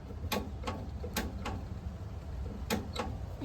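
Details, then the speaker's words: Starter solenoid, battery connected and wired to the switch, starter not yet installed: six or so unevenly spaced sharp clicks over a quiet hum; the solenoid pulls in fine. "could hear the solenoid clicking back there."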